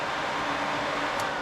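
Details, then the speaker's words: Electric fan relay wiring on a 1973 Chevy C20 with two cheap 12-inch electric fans, stock shroud removed: powering the white signal wire switches the fan on, giving an even, steady whir with no rubbing, ticking or wobble; normal operation. "But basically, as soon as you give this white wire power from wherever, fan comes on."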